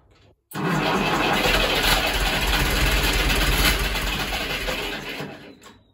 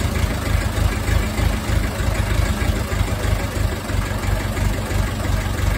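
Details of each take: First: Ferguson TEF20 diesel tractor that sat over 10 years and would not fire; after bleeding air from the fuel system, long labored cranking that stumbles and catches into a rough run, some exhaust smoke: hard starting from an airlocked fuel system. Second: Ferguson TEF20 diesel tractor that sat over 10 years, running again after air was bled from the fuel system; steady, even chug at about three beats a second with no misses or knocks: normal idle.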